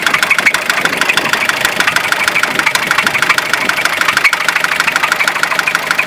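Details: Fiat Ducato 2.5 TDI diesel at idle: a hard, regular tapping, about one and a half knocks a second, over the diesel clatter; an internal engine knock.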